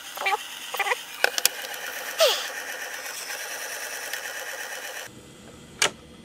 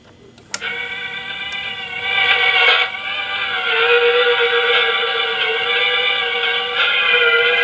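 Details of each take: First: 1960s Sears 8241 rim-drive 3-inch reel-to-reel recorder, switched to play to enable rewind: a few control clicks, then light even whirring as reels wind back slowly; normal slow rewind. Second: 1960s Sears 8241 rim-drive 3-inch reel-to-reel tape recorder playing a tape recorded on a stable Grundig: tone wavers sharp and flat, heavy wow and flutter.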